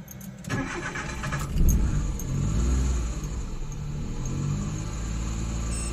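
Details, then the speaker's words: Suzuki DA64W non-turbo minivan with 3-speed automatic, weeks of poor starting; starter cranks briefly, engine only catches and runs rough and low when throttle is pressed while turning the key; hard start, cause unconfirmed. "So hindi siya nagi-start ng maayos. Magi-start lang siya ng aandar lang iyung makina niya pag tinapakan mo yung silinyador sinabay mo sa pagsusi."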